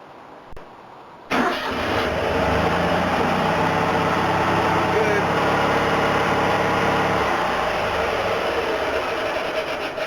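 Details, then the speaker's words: Panhard PL17 flat twin after fitting a late-model Citroën 2CV fuel pump with drilled housing holes and new fuel line: fires right away and settles into a steady, even run with no misfires; normal start and idle. "what it needed it needed a 2cv fuel pump"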